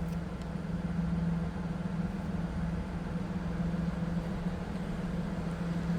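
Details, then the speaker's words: 2000 Pontiac Firebird T-top with 3.8 liter V6, heard idling from the rear at the exhaust: smooth, even low hum with no misses or ticks; normal idle. "Slip around to the back so you can hear it run. Nothing too crazy, of course, for that 3.8"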